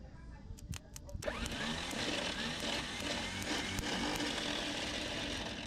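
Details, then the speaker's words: 1972 Chevrolet Malibu after 25 years sitting: a few hammer taps on the starter, then steady high whirring spin with no cranking beats; starter spins without turning engine, Bendix suspected not engaging. "Oh, that sounds horrible down there. Let me go hit it with a hammer."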